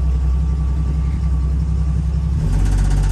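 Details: 1975 Jeep DJ5-D postal Jeep reversing uphill under load: low rumble turning into a coarse buzzing drone; owner doubts it is the engine and suspects a vibrating muffler, with low oil pressure also suggested, unconfirmed. Vibration noise under load.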